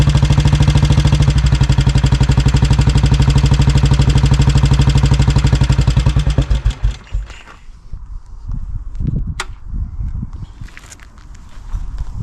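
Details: 1957 Royal Enfield 500 Bullet, first run after nine months of ownership, petrol turned off: single thumps lumpy and uneven, evening out as fuel runs out then stopping; running rich from flooding, carburetor to be removed next.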